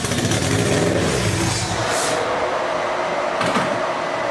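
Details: Toyota MR2 turbo engine freshly fired on old turbo ECU map, oil cooler and filter relocated, coolant not yet bled: runs ragged and hunts, revs rising and sagging under blipped throttle; rough on wrong map awaiting proper tune.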